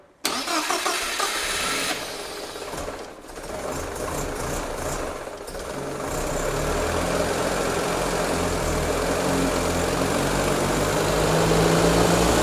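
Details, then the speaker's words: 1975 Land Rover Series 3, parked 15 years, newly rebuilt engine first start after priming: cranks a second or two, catches and settles into steady even idle, no knocks; timing then set. "Once it started, we just spent a little bit of time setting up the timing to where it was happy."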